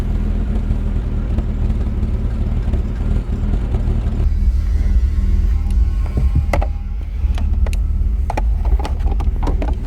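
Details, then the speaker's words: 1997 Jaguar XJ6 X300 3.2 manual just after crankshaft position sensor replacement: deep note pulsing unevenly at idle with clicks; running lumpy, owner suspects excess fuel buildup from repeated start attempts before the sensor swap; to be run up the road to see if it clears. "it's running but it's a bit lumpy so to just give this a blast up the road and see if it clears it"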